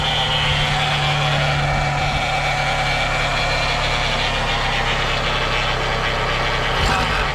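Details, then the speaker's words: Chevy Cavalier that lost transmission fluid through a leak and won't move when given gas, restarted at idle: a thin, high, fairly constant whine over the engine that was not there before; owner suspects low fluid, not confirmed. "see that noise that whining noise was not doing that before"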